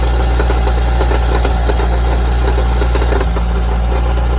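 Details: Mitsubishi Evo engine at idle with the accessory belt off, new balance shaft belt and rod bearings: heavy irregular knocking rattle about three a second at the pan, quieter with the clutch in; the cause was a wobbling, loose flywheel.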